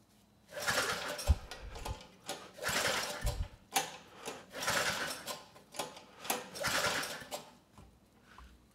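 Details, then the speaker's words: 34-year-old Tecumseh H30-35387Y engine on a Troy-Bilt Tuffy tiller 12060, after valve work, with no carburetor fitted yet. Slow, even pull-over strokes about once a second reach 70 PSI; the decompression release works and compression is normal. "beautiful we're at 70 PSI and no issues pulling it over so the decompression is still working that's definitely enough compression to start the engine"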